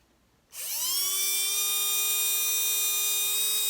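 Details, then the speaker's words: Vintage Tamiya Dynatech 01R brushed motor after strip, clean and rebuild, running during timing adjustment to find its sweet spot: a high whine climbs after switch-on, then holds smooth and steady. "we'll have a little player with the timing and hopefully you'll be able to hear it increase and decrease and the idea is to get it to its sweet spot"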